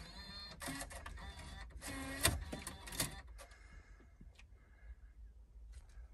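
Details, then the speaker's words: Chrysler Town & Country van, 226,000 miles, just connected to battery: built-in DVD player whirs and clicks in irregular bursts then stops; something possibly stuck inside the player. "it's got a DVD player in it DVD player is freaking out"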